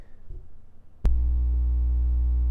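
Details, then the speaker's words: Replacement Blue Spark SL microphone touched on its logo: quiet room gives way to a sudden loud steady low mains buzz/hum with a bright edge; other parts of the mic are fine, owner suspects a design flaw. "that's the buzzing now on this microphone that's the only spot where you're getting that buzz and that hum from you could touch any other part of the microphone and it's fine but as soon as you touch that logo bad news"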